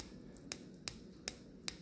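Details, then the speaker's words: BMW intake VANOS solenoid, code P052B (bank 1 timing retarded), removed after cleaning in diesel, car at 62,000 miles: four sharp clicks as the solenoid is turned, something inside moving; owner suspects this caused the fault, replaced with new. "but if you listen closely you could hear like when I turn it it's moving you can't really see it but you can definitely hear it"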